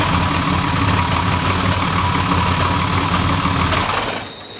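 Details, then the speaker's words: Newly built turbo engine idles evenly, then shuts off, leaving a faint high whine as the ball-bearing turbo spins freely down, which is normal. "is that ball bearing turbo spinning down there love it"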